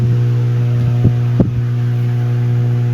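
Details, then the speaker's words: Ibanez guitar amplifier with a loud, steady low hum even with no input plugged in; the hum persisted through many repairs. "so ang trouble nito is may Ugong meron siyang haming kahit wala naman naka input sa kanya"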